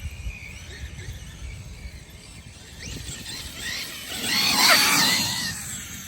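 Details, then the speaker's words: Custom Traxxas XMAXX RC truck, Hobbywing MAX4 560kv on 8S, new pinion and spur, mesh loosened about a full turn after rubbing sound: high thin whine swells as motor spins up; gear whine only marginally better. "Let's see if it whines like it did. Better already. Marginally."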